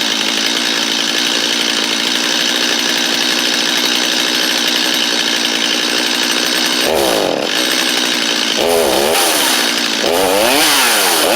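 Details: Free Stihl 250 chainsaw: holds a steady high buzzing run, then blips up and down cleanly a few times; sounds healthy and responsive.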